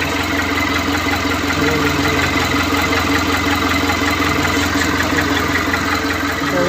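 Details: Mitsubishi Canter 4M42 diesel that would not start, running after its original EGR was refitted in place of a surplus one, somewhat hard starting: steady clatter at idle, even with no stumbling; normal idle.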